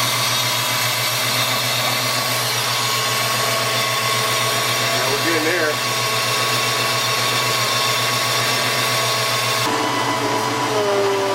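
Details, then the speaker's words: 1993 Ford Mustang GT foxbody, Coyote swap, hydroboost after brake bleeding and fluid change: steady even whirr from engine bay with no whine; power steering pump running quiet, steering smooth. "there no and the steering wheel is extremely smooth man like it's as you guys can hear my power steering pump is then wiring anymore maybe that's all we needed was a brake and a change of [Applause] fluid"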